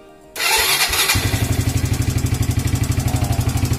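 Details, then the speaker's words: Evo Z motorcycle left sitting a long time, started after wiring and engine oil checks. Brief cranking, then it catches at once and settles into a steady, even single-cylinder idle with no misses. A healthy start. "Alhamdulillah. So enjin pun sudah hidup dengan sempurna."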